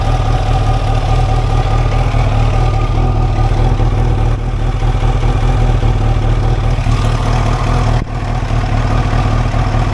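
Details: 1989 Kawasaki ZX-10 four-cylinder, stored about 12 years, replacement tank, first run on leftover carb fuel: loud, steady low idle with an even beat, no knocking or rattling; holding idle fine.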